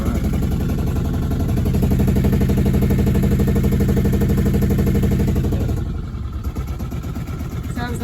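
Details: Diesel engine of a 1990 Com-Pac 23D MK3 sailboat, throttled up with cooling water flowing. Even thrum at about four beats a second, no knocks or misses, then shut off: healthy running.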